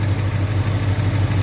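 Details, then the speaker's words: 1966 Dodge D200 pickup with original engine and transmission, electronic points, rebuilt but leaking carburetor: low, even idle with no knocks or ticks, sounding healthy, though it burns about a quart of oil every 150 miles. "good sounding motor. But the only problem is it burns oil."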